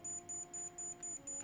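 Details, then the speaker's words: Centipede arcade board repair, logic probe on CPU-related output pin: steady high-pitched beep pulsing about five times a second, showing a live, toggling signal. "And that sounds like a happy signal."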